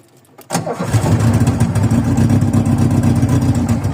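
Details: Cold start of a VW Voyage after sitting for many days, with worn old mechanical parts: takes a couple of cranks, fires abruptly, then settles into a rough, uneven, lumpy low idle.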